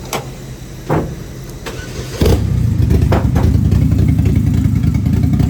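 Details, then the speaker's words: Rebuilt built 2.2 Ecotec race car engine with a Comp Cams cam, first start after the rebuild. The starter cranks briefly, then it settles into a steady, slightly lopey cam idle and sounds good. Normal start and idle. "Listen to that cam and that bad boy. Sounds pretty good, actually."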